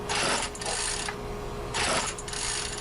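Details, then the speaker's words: Craftsman string trimmer won't start despite nearly full gas tank, good fuel lines and air filter: two recoil pulls rattle the starter with no firing; caused by a worn spark plug. "but it wouldn't start. Pull that cord a lot more than I show you in the video, but couldn't get it to start."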